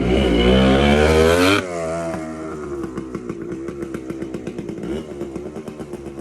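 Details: TC125 two-stroke dirt bike after a carb clean, a new fuel line with filter, and a switched spark plug: it screams to high revs, drops cleanly back and settles into a crisp, even popping idle. Normal running.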